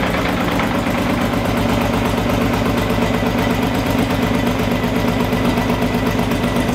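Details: Engine after timing corrected still idles rough with a loping irregular beat and a mechanical noise; owners suspect a missing sensor and likely valve damage from early start attempts, compression test pending.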